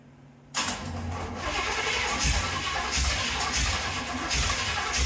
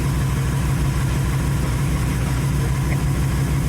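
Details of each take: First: 1931 Ford Model A coupe on carburetor swap: cranks, catches briefly with uneven chuffing, then dies instead of idling; owner suspects choke or an unfound vacuum leak. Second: 1931 Ford Model A Coupe hot rod with carburetor refitted, first run since November: steady, even low idle with regular firing pulses and no knocks or misses. Normal idle.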